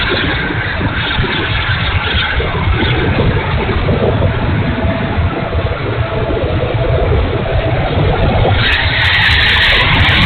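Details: E-flite A-10 Thunderbolt II twin 64mm ducted fan, bad motor: loud ragged rushing roar, uneven in level, no clean steady whine; fan unit running rough.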